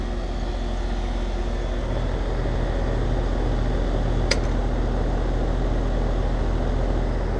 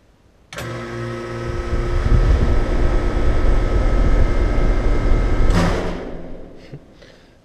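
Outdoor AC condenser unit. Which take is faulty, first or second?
second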